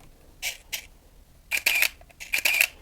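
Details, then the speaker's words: Nikon F801 (N8008) 1988 film camera. Two quick snaps, then two longer motor whirs as each frame fires and the film winds on. Normal shutter and motor film advance. "И вот этот звук, он означает, что мало того, что был сделан кадр, за это время еще и перемоталась пленка. Просто великолепный звук, как на мой взгляд."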